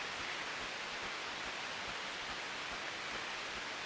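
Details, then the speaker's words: Ultrasound recording of dryer A's bearing reading 0 dB: a steady, completely uniform hiss with no squeals or impacts, the signature of a healthy, well-greased bearing. "Aquí teníamos esos 0 decibelios, sonido completamente uniforme."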